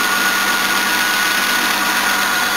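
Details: 1977 Jaguar XJ12 Series II 5.3L EFI V12, not fully warmed, after new water pump, radiator and fans, air conditioning on: smooth steady idle with even hum, no ticks, misses or hunting; running normally.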